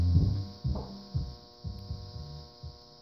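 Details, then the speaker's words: Monitor Audio RSW12 subwoofer playing music: deep bass thumps with a constant low mains hum droning underneath, traced to a failing filter capacitor. "well but the problem is it has this low hum to the audio"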